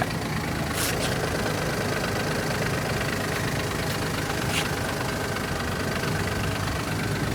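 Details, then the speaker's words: Skoda Fabia Mk3, 1.0 MPI with 5-speed manual, clutch pack and flywheel bolts replaced at 200,000 km and noise back about 10,000 km later: steady idle with clutch released and a low rattling churn beneath; suspected clutch release bearing, clutch plate or flywheel. "these transmissions will start making noises. When you release the clutch pedal, you can hear something happening in your transmission."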